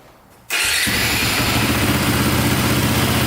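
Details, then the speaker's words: Cheap KTM 450 dual-sport single after a carburetor fix, restarting warm; starter catches right away and settles into a steady, even idle with crisp exhaust beat, a click on stopping owner attributes to a worn one-way starter bearing. "sounds good there's a little click in there at the end i think that's the one-way bearing going so we'll definitely order up one of those"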